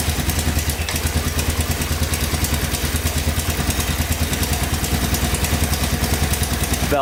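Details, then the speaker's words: 1985 Honda ATC250SX shaft-drive three-wheeler, fresh start after a gas change: a light, uneven tick over the idle, a top-end noise. The owner suspects valve adjustment or the cam chain, possibly a gas tank rattle, and it is smoking slightly. "oh yeah fired right up i hear a little knocking in the top end here though i think"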